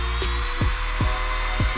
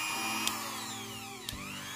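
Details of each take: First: Mini grinder after on/off switch replacement: thin, high steady motor whine spinning smoothly with no rattle or grinding; running normally again. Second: Mini grinder tested at speed setting two: high motor whine that sags and climbs, broken by sharp clicks as the switch is pressed, cutting on and off; the on/off switch is faulty and needs replacing.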